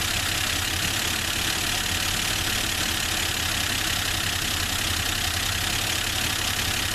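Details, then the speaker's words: Forgotten Plymouth Valiant with Holley carburetor on temporary fuel line: idle slightly uneven and lumpy with ticking, running a little rough; cause not stated. "so that's all right it's kind of a little bit rning a little rough there"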